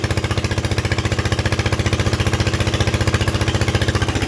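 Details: Onan 3.0 DJA single-cylinder diesel generator, no muffler, running at 75–90% maximum capacity after fixing AC output lead configuration and working around faulty decompression solenoid: loud, very even heavy thumping at steady beat, no misses or knocks; normal running under load.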